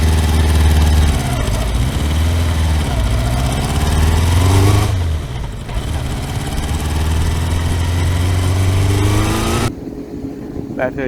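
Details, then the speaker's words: Kawasaki four-cylinder motorcycle after reassembly with torque set to 24 Nm: lumpy, uneven revving with stumbling exhaust pulses because not all four cylinders fire; owner suspects ignition leads disturbed when the coils were removed. "na hát nem nem megy mind a négy henger mindig azt kell nézni hogy mihez nyúltam utoljára mert előtte meg ment mind a négy most meg nem megy mind a négy"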